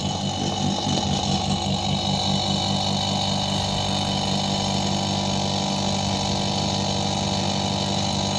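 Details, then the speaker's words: Whirlpool 170-litre refrigerator compressor running: a steady droning hum with a rough, rattly edge that never settles. The noisy compressor is to be replaced with a new Godrej compressor. "तो इसके कंप्रेसर में कुछ आवाज़ आ रही है, तो एक बार इसको पहले चला कर देख लेते हैं। ये आप आवाज़ सुन रहे हैं, ये कंप्रेसर आवाज़"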